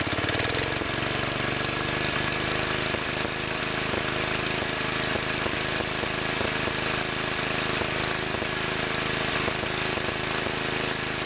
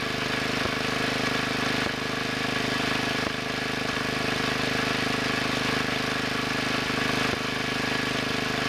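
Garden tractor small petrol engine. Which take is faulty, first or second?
first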